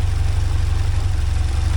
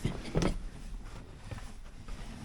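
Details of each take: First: 1979 Porsche 924 with timing back to its previous spot: smooth, even low idle with steady pulses, no clicking or ticking; running normally, though the owner later notes it has started smoking. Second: 1979 Porsche 924 being restarted after the distributor was apart: several cranking attempts, then the engine catches and runs roughly a few seconds before dying; the distributor was installed one gear off, so ignition timing is wrong and it starts hard.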